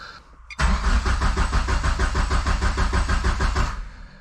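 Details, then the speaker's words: 2G GSX engine on FuelTech ECU in wasted spark, cam sensor disabled: starter turns the engine evenly, about three pulses a second, for three seconds but never fires; no crank signal, wires likely not seated in the CAS connector. "All it's seeing is the cam. It's not seeing a crank signal at all. So I do have some wiring issue."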